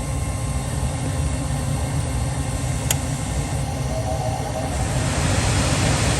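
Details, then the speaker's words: Furnace after fixing an inducer motor that hummed but would not spin, causing a pressure switch code: even, steady low hum and airflow rush with no rattle or scraping; inducer motor now runs smoother and quieter than before, normal operation. "okay man it's running quieter than this it's running smoother than it was before we got Heat man that motor is running super smooth"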